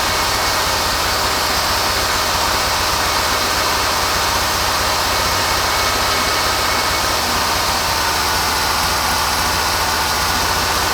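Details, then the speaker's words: Forklift engine after new carburetor and new muffler, revved then idling: steady even idle with no stumbles, pops or missed beats, not misfiring or blowing black smoke; normal idle after repair. "It sounds better. It runs better. Listen to this thing. Not misfiring."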